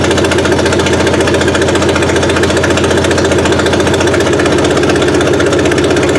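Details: Suzuki Sidekick after swapping the old 8-valve engine for a 16-valve, first run with distributor timing set around 8 degrees BTDC: steady four-cylinder idle with an even firing beat, no misses or knocks.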